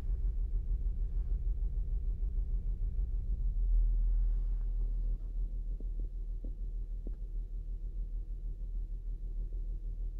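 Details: 2008 Saturn Outlook on a cold start. Low rumbling idle with an uneven, pulsing stumble about three times a second; a cylinder 1 misfire that happens only on cold starts.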